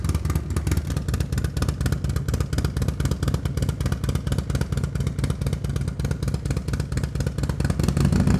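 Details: Harley-Davidson Milwaukee Eight with new S&S MK 136 crate engine and 550 cam, freshly installed, warming up: deep choppy loping beat, strong low-end thump, revs cleanly; sounds healthy, probably needs a little fine tuning.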